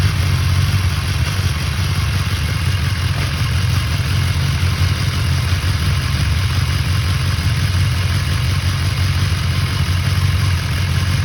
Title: BMW S1000XR 2019 Gen 1 Cam chain rattling sound